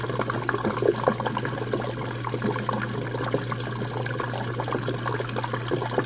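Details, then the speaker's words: Jenn-Air dishwasher on Quick Wash cycle with no heat dry, one Cascade pod; final drain after last rinse: steady low pump hum with water gurgling and trickling as the tub empties. Normal drain. "One more rinse and we'll be it. And during the final drain, the dishwasher will stop and the pump will turn on."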